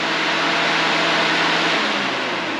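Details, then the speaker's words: Turbo Silverado drag-and-drive build with wiring nearly finished: first one radiator fan, then the second switched on at full; loud, even rushing air with a steady low hum, no rattles or ticks; both fans run normally. "for instance we go over here and we hit on that's one fan and then if we come over here and turn the second van on full"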